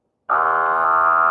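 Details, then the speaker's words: Small 4 W battery-powered automatic balcony irrigation pump run without water or tubes attached: abrupt start into a steady high buzzing whine; noisy because it is straining dry, quiet when tubes attached. "now you hear it very noisy because the engine strains a little while we try to use it without water"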